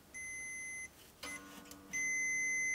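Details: Jaguar bass being checked for a hum problem; clean high-pitched continuity tester beep, a short one then a long steady tone when the probes touch; the circuit is connected.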